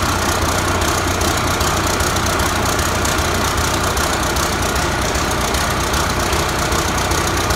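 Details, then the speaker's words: 1993 Ford Louisville L8000 diesel truck, first run after sitting about 11–13 years: steady diesel clatter at idle with constant high chirping squeal; owner says the belt is not happy though the motor runs well. Noisy accessory belt. "That belt is not happy. That belt is not happy at all."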